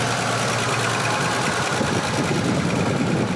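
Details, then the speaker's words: Volvo 164 with worn B30 engine, valve cover weeping what seems to be oil, heavy blow-by from the head: idling with busy, uneven clackety clatter from the top end. Owner suspects top-end wear; compression test and head service planned. "Hear that clackety clank clank? It's troubling"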